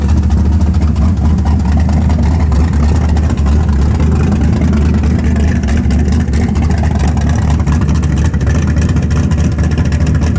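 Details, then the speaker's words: Camaro V8 with mufflers catches and settles into a deep, steady, even rumble with no knocks or misses, coolant temperature not climbing; healthy idle. "pretty cool. Oh, it sounds so good."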